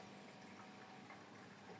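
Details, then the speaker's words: Dishwasher that keeps filling: quiet, constant rush of water that never cuts off; stopping it halts filling, so not the inlet solenoid valve but a pressure switch fault. "Et ce n'est pas un problème d'électrovanne, puisque si je l'arrête, si ce serait un problème d'électrovanne, elle continuerait à remplir. Or là, pas du tout. Hop. Et vous allez voir. On l'entend qu'elle remplit."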